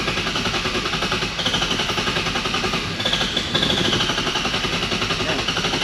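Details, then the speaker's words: Nissan S15 with a VQ35HR swap and a nearly finished turbo kit, first start attempts; there are worries that the big injectors could flood it. Rapid, steady cranking chatter for six seconds with no firing at all. Cranks but won't start; cause unconfirmed. "20 minutes later all right you guys want to see this [ __ ] not start again"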